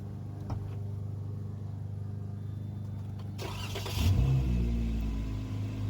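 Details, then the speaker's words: Jeep Wrangler JKU 3.6 after replacing all 12 rockers, 12 lifters and the camshaft (three bad rockers, destroyed cam): quiet, steady idle hum with no top-end ticking, smooth rev blip; small noise from belt tensioner; normal idle. "she's quiet she's current she huming so there is a little noise that you hear that's from the Bell tensor"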